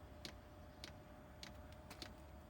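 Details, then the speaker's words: Chinese diesel air heater on old controller during pre-warm-up: sharp, even ticks about every 0.6 seconds over quiet room hum as the dosing pump pulses, tiny air bubbles moving in the fuel line; normal fuel pump ticking. "If you can hear it, it's the pre-warm-up's going. Right, straight away it's pumped a couple of air bubbles, only tiny ones."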